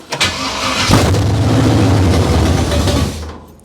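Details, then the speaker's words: Abandoned 1968 Camaro small-block Chevy V8 with used parts, timing not yet set: brief crank, then catches and runs evenly about two seconds before shutting off cleanly with the key; starts and stops normally. "Starts and stops with the keys. There you go."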